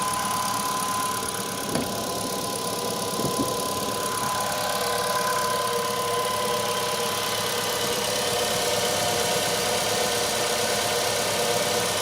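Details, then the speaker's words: Ravon R3 cold start at -10°C outdoors, morning, after alternator belt and pulleys cleaned of embedded grit that caused morning whistle: steady, even idle, no belt squeal or chirp, silence under the hood; normal idle, fix confirmed. "открываем капот подсчет тоже слышу опять тишина значит все это реально было иметь"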